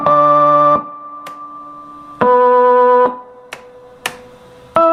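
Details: Antique Jaguar organ after repair of a stuck droning chord and sticking keys, foot pedal still not working: clean sustained chords starting and stopping crisply with each key press, no drones. Normal operation.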